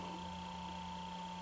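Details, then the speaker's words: 25 W LED lamp (about 200–250 W light output) replacing a mercury vapor light, plugged into a fixture in the shop: steady, even low hum with a fainter higher whine, no crackle or buzz, heard up close. Normal LED driver hum. "Hear the light making a humming noise. Not buzzing. I'll get up close to it. It's making a humming noise."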